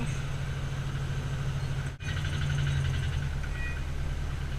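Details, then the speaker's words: Car engine idling with heavy low drone and faint regular knocking running through it; owner calls the engine knock horrible. "You can hear the engine knock from here. It's horrible."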